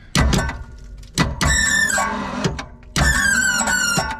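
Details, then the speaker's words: 1971 Ford F600 manual U-Haul box truck, long-sat, cranking with plugs out; loud high wavering squeal each time the starter spins; rusted, worn-thin belts slipping on the alternator. "Sounds good, except for that. Oh, it's just slipping on the alternator."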